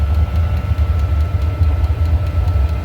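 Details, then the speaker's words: Diesel heater restarted after teardown and soot clean (owner suspects mixed fuel); deep steady roar with fluttering low pulse, running hard at full burn, heavy smoking as it burns off residue stirred up during cleaning, now getting properly hot unlike before. "Now she's roaring and smoking. Oh boy. I don't know. I don't know, guys. Whew. That's gonna get stinky in the cabin."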